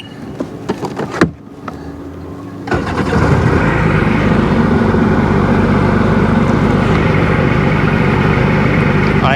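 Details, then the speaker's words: Sea-Doo GTX 951 DI two-stroke, rebuilt engine with new solenoid tested at the lake: steady even burble holding idle right around 1450 rpm with no hunting or misfire. "right where we wanted to be between 1450 right around 1450."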